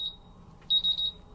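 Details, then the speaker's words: MultiRAE gas detector bump test on all four sensors with calibration adapter: short high chirp, then three quick shrill beep bursts; all sensors in alarm and all alarms functional, so the bump test passed. "Now we can see that all the sensors are in alarm and all the alarms are functional on the instrument. So it means it passes the bump test successfully."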